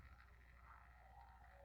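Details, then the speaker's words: Small fan motor connected to power: low buzzy hum and vibration without turning, spinning only when pushed by hand, in either direction; fails to self-start. "No no arranca ahí pueden ver ustedes que no se mueve del todo solo está vibrando se siente la vibración"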